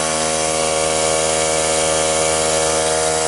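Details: Cheap portable tire-fill air compressor repaired by bypassing its melted power switch: a loud, steady motor and pump drone with an even chug and no knocks or squeals. Runs healthy; the repair extends its life.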